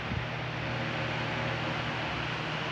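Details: Fan after its defective oscillation gearbox was replaced with a complete set: steady airy whoosh over a smooth low motor hum, no knocking, rattle or grinding; fan and oscillation gearbox running healthy.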